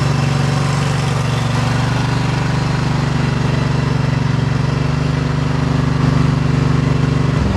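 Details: 2008 John Deere EZtrak Z425 zero-turn mower, 23 hp Briggs twin, revived with new battery and fuel filter and old gas drained: steady even drone at fast idle, no misses or knocks, then shuts off cleanly; runs healthy.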